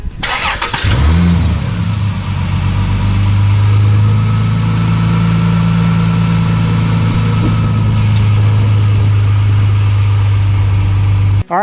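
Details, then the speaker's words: 2000 Dodge Intrepid after new timing belt and water pump: brief crank, catches fast, quick rev, then smooth even idle with no ticks or knocks; normal start and idle. "sweet. Must got the timing perfect cuz it runs perfect."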